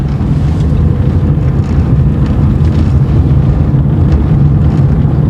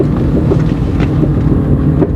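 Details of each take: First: 2012 Chevrolet Corsa in fourth gear at about 20 km/h on a straight: steady low road rumble with no clicking or knocking from the front wheel, which had been popping even in neutral. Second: GM Corsa in fourth gear descending slowly at 20 km/h: irregular clicks and pops from the front wheel over low road rumble and wind, continuing in neutral; caused by loose front wheel nuts.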